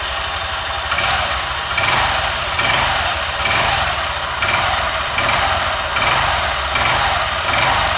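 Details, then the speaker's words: Honda Vario 150 (older LED model) scooter just fitted with a TCI driver power-up on the coil, fuel pump and injector lines; lighter starting, then a steady engine with an even, soft pulse and no knocks or rattles; idling and responding healthily. "Kita coba nyalakan. Starterannya lebih enteng, lebih ringan, starter lebih"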